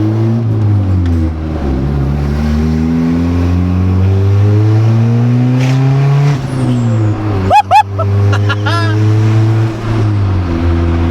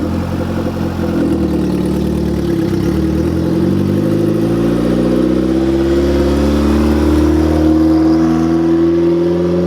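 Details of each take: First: Honda Civic EG on first start after a turbo install, kept under 4000 rpm: revs climb and fall, then a quick fluttering chatter on lift-off as the turbo compressor surges, the blow-off valve venting slowly; runs surprisingly well. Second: Honda Civic EG with freshly installed turbo, first start, put in neutral to let revs drop by themselves: revs fall away smoothly and settle into a steady, even idle without stumbling or stalling.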